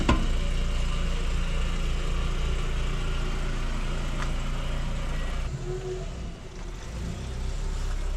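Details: 1999 VW Golf MK4 2.0 after replacing the faulty mass air flow sensor: smooth, steady four-cylinder idle with no stumble or surging; engine running normally.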